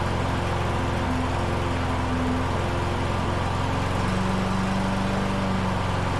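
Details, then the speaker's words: Troy-Bilt TB110 push mower, Briggs & Stratton 550EX, first run after draining tank and cleaning fuel system following months of sitting; runs steadily but slow and lazy at idle, rpm a little low, idle speed needs raising. "sweet that was all it took right there uh you guys could hear the rpms are a little bit low uh i will adjust the rpms on this"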